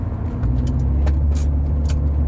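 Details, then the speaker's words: Rover 45 driving after new coil packs and HT leads fitted: even engine drone under road noise, no stumbles or misfire hiccups, much smoother now; owner suspects earlier misfiring also came from blocked injectors. "Glide it is so smooth it's much more smoother now"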